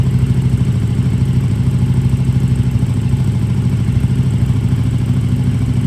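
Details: KTM RC8R with a swapped 2020+ third-gen 1290 Super Duke engine and electronics, first start after the swap: deep, steady low thrum with even firing, no knocks or misses; normal smooth idle.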